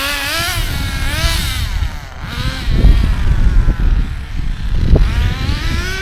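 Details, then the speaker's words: ACME Condor Pro A300 1T 1/10 nitro RC buggy, circa 2002–2005, not run for about 18–20 years, engine preheated, throttle trim high; high buzz climbs and falls with each throttle blip without stumbling; started quickly, normal running. "back into the garage then and yeah that was a good run out for the Acme condo Pro started really quickly"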